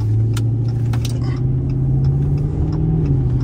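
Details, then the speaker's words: Dodge Charger/300 AWD test drive after replacing right-hand CV axle, axle seal and front differential fluid: deep steady road-and-drivetrain rumble, no clicking, clunking or whine from axles; drivetrain sounds normal. "as of right now the car seems to be sounding normal hey anyways yeah no this this sounds fine"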